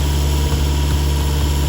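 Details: 2011 Isuzu D-Max crank no-start: steady low drone of the starter turning the engine with no firing; cam/crank correlation correct but fuel pressure sensor only rises from 1 to 4 volts while cranking.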